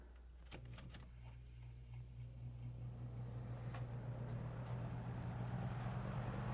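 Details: Lakewood 200i fan, formerly run hard for years and sludged with excess oil, running after restoration with replacement guards: low, steady motor hum with air rush building as speed rises, no rub, rattle or wobble; normal running.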